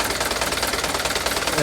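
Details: Mitsubishi Canter diesel truck at idle: fast, even, harsh ticking puffs; speaker first suspects an exhaust leak, then says the tick is most likely valve adjustment. Rhythmic ticking puff, cause unconfirmed.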